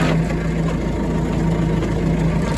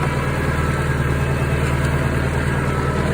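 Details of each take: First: Tractor driving a used Kuhn GA 4101 GTH rotary rake through the PTO: steady drone with a hum pulsing as the angle increases; driveline noise when PTO runs at an angle, cause unknown. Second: Used Kuhn GA 4101 GTH rotary rake on tractor PTO, run after noticing slight play at a keyed shaft nut: steady tractor drone with even driveline hum, no clunks or knocking from the shaft; no bad sounds, rake turns smoothly.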